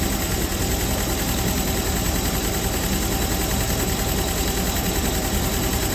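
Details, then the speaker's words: Audi TT Roadster with 225 hp engine, auction car without key, started despite immobilizer: steady even idle, low smooth rumble, no knocks or misses; motor good. "Okay. Well, that's all I needed to know. This car is garbage. The motor's good."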